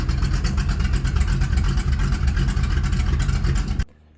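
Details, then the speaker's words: 1983 Chevy C10 square body, 350 V8 with Edelbrock Performer RPM cam, new Holley 4150 750 replacing the Quadrajet, idle mixture screws leaned half a turn each for best vacuum, idle screw set: smooth even low burble, no misses or ticks until shutoff; runs healthy. "So, and it sounded happy there, and so I just set the idle screw, and this thing's good to go."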